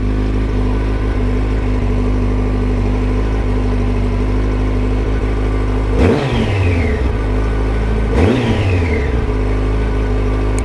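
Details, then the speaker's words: Yamaha FZ1 naked 1000cc motorcycle, started first time with kill switch on and clutch in after no-start checks: steady, even idle with two short throttle blips, revs rising and dropping cleanly, no clatter or misfire; normal running. "and let's start the bike and there we go bike started first time"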